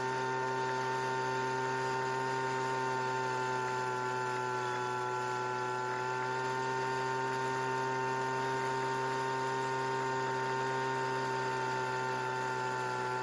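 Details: Recently bought Weedeater leaf blower that wouldn't start, with newly replaced fuel lines; steady high two-stroke buzz with even tone, no misses or surging, running cleanly at constant speed.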